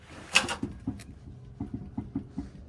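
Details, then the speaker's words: 1979 Chevrolet Camaro with aftermarket wheels fitted with improper lug nuts, left front jacked up and rears on the ground: a few irregular dull knocks and clunks from the loose left rear wheel, found as part of the car's vibration. "That's the left rear wheel. You can hear it."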